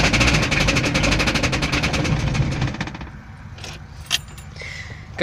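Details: VAZ 21083 petrol engine, started in cold weather, runs with a fast, sharp metallic knock on every beat before dying away.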